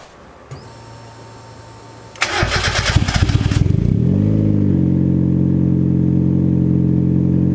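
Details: Cold start with newly fitted Spelab performance muffler (2.5in inlet, fiber packing not yet broken in): starter whirrs about two seconds, engine catches, settles into steady deep even high idle, no rattles or exhaust leaks.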